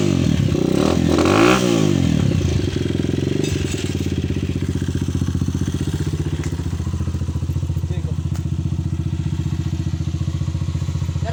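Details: Single-cylinder motorcycle after fitting a new carburetor: a rev, then a steady even beat around four per second with no stumbles; no longer misfiring, runs clean.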